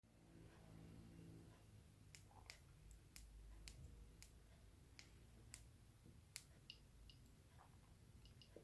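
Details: Xiaomi Mi M365 electric scooter won't power up, making sharp dry clicks about twice a second with faint high peeps; battery tested fine with a multimeter.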